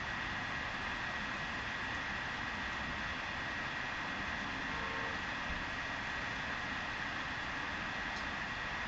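A constant low drone with a fixed humming tone on top, unchanged throughout. The boiler is vibrating, cause not yet clear.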